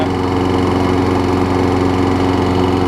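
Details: Craftsman 6 hp big-wheel front-drive self-propelled mower after replacing a carbon-fouled spark plug: a small single-cylinder engine holds a steady, even buzz with no misfires or surging; it is running healthy.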